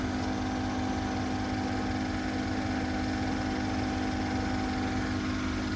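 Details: 2014 Mercedes S550 W222 Airmatic, driver-side compressor (aftermarket unit, previously failed) under diagnosis: even, steady motorized whir with no knocking or straining as the car raises after being lowered; pump only kicked on once lowered, running normally here.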